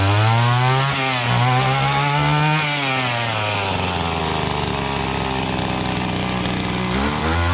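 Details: Echo GT-200B Kioritz weed trimmer two-stroke after recoil starter pull rope repair: buzzes cleanly, pitch rising and falling smoothly with throttle, no stumble or misfire; normal running.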